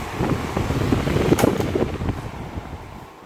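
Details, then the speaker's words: Fan running: loose, uneven khad-khad clatter over the whoosh that fades as it slows, caused by too much end play in the shaft. "जैसे आवाज खड़खड़ खड़खड़ खड़खड़ खड़खड़ आता रहता है कभी हम आराम से बैठे होते हैं बहुत शोर मचा रहा होता है"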